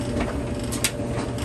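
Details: Maytag 3000 series gas dryer, 12–13 years old, that turned on but wouldn't spin, after replacing broken pulley and retensioning belt: steady low rumble, even tumbling rhythm, light whir, no squeal or slipping; drum turns normally.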